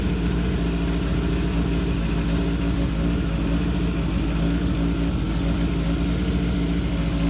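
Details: 1978 Kawasaki KZ650 C four-cylinder, revived after at least 5 years unrun, during carb vacuum balancing with dampers: steady, even hum at a raised 2000 rpm idle, no stumbles or knocks; normal fast idle, carbs balanced within about a quarter inch.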